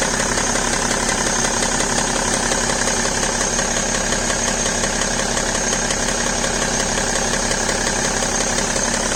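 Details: BMW E60 525d diesel on fresh 5W-30 oil at cold idle: fast, fairly even light ticking close to three per second over the diesel clatter, gone once the engine reaches about 80°C; cause undetermined.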